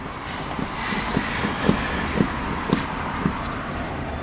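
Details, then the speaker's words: VW Passat B5, body rocked by hand: dull thuds about twice a second, in time with the rocking, from both front corners. The upper arms are weak; the cause is unknown. "если сейчас покачать ее можно услышать этот звук довольно жестко я даже не знаю где это происходит кто-то за кого-то задевает"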